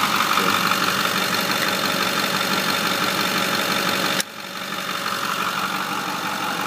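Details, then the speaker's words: 2008 Ford F-350 Super Duty 4x4, 6.4L Power Stroke diesel, 152K miles: even idle with steady clatter, no knock or miss, background change midway then engine carries on fine; normal idle, no issues. "so this is a good one to start with because there's uh there no"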